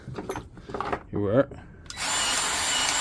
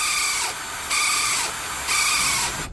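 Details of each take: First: Milwaukee M18 cordless grease gun after repair, new part fitted between gearbox and motor: smooth, steady motor whir while pumping grease, the earlier screeching noise gone. Normal running. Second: Milwaukee M18 cordless grease gun giving a harsh, high-pitched screech in bursts during operation; fix is to fit the coupling piece between the motor and gearbox.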